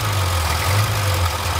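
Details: Barn-find Austin-Healey Sprite running after the old fuel pump was replaced with a new one: low, even idle with a steady beat and no misses, stumbles or knocks; normal idle.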